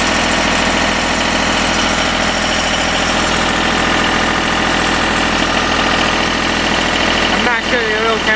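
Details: Deutz diesel engine driving a Lima generator, first start-up after repair, at about 1,850 rpm: steady even drone at constant speed with no hunting or knock. It's a runner. Normal governed-speed running.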